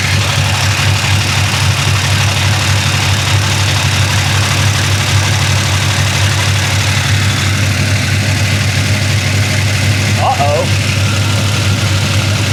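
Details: 1966 Chevy Impala BBC 427 with valve cover off: steady low idle with a light, uneven ticking chatter on top, and very little oil reaching the rockers; valvetrain clatter from oil starvation before valve adjustment.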